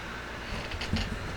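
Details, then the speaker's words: Pride DX-300 amplifier during first high-voltage power-up on a variac at just over 110 V after HV power supply replacement, drawing about 95 W in standby: low, steady rushing hum with a few small clicks, cooling blower running normally. "All right, 24, and the variac's reading a little bit over 110. I can hear the blower running."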